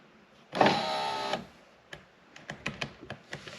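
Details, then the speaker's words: Flooded, abandoned Honda S2000, after door window switch replaced: short electric whir about three-quarters of a second then light clicks; one power window motor runs, strained, while the other window doesn't work. "That one's not working. This one's working though. It's not happy, but it's working."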